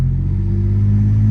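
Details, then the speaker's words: Ford F150 after greasing driveshaft to fix driveline clunk, pulling away slowly from a stop on a hill: smooth low rumble, no clunk or knock; fix successful. "So now, when I start going, everything's tight, no clunks. Sounds good. Perfecto."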